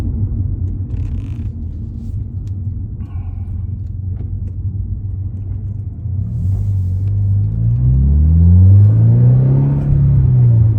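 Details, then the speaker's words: 2023 Toyota GR86 with a newly installed aftermarket exhaust in place of OEM, recorded by a phone on a tripod inside the car while accelerating. Deep, steady rumble rises smoothly in pitch with mild drone. Normal, nothing abnormal. "I mean, it's like night and day from stock, and yeah, I like the sound of it a lot. I like that real deep tone."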